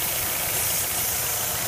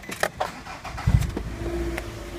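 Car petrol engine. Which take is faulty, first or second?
first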